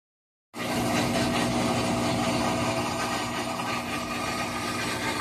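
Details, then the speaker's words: Whirlpool WTW4816FW3 top-load washer bought 2023, control board replaced three times, not on, no lights or water: steady motor hum with a rough grinding edge. The drive runs uncommanded for over an hour despite holding the button. "Nothing works, but it sounds like it's run"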